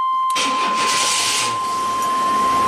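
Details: 1991 GMC Jimmy 4x4 with slow-crank complaint, after fitting a new battery (12.4 V key on, lights on, voltage held above 11.5 V): strong, even cranking that quickly catches into a steady run; weak battery was the cause.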